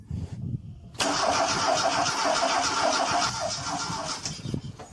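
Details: Slavuta engine that started misfiring, compression gauge test with the fuel pump relay pulled: even starter cranking, about three to four pulses a second. One cylinder reads 7 atm against a minimum of 8, so low compression.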